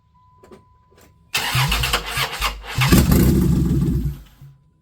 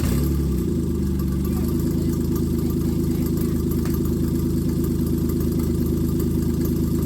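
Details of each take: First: A 1995 Plymouth Voyager 3.0 V6 being started for the first time after timing work. The starter cranks with uneven, stumbling firing that catches briefly but never runs; the distributor is clocked off, so it fires too early or too late. Crank, no start. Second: 1995 Plymouth Voyager 3.0 V6 after the distributor was re-clocked to fix ignition timing: steady low even idle with no exhaust roar, the longest it has run, heard from behind the van; radiator may leak, thermostat appears to open; normal idle.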